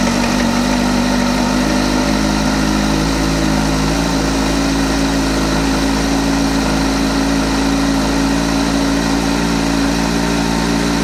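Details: 2008 Kawasaki ZX-14 engine idling steadily with a light, fast ticking running through the engine note.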